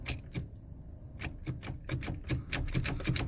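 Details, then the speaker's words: Pontiac Fiero long left standing, on jumper power: repeated sharp uneven clicks about three a second, engine never turns over; starter just clicks, battery found to have almost no power left; owner also suspects starter is shot. "When we put power to it, the starter would just click, it wouldn't turn over."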